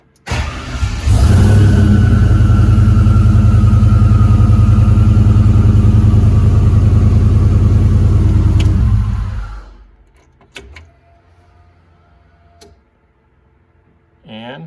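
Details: Vehicle with an LS swap just rewired with an American Auto Wire harness, fuel pump heard priming first: engine catches and holds a strong, steady, even run for about nine seconds before shutting off, no knocks or misses; sounds healthy.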